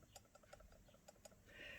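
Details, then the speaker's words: Prewar 1-inch SU UBA carburettor before rebushing; shaking it gives quick, uneven light metallic ticks as the worn throttle spindle wobbles and rattles in the worn body bore. "you get wobble on the shaft so this isn't tight in the hole"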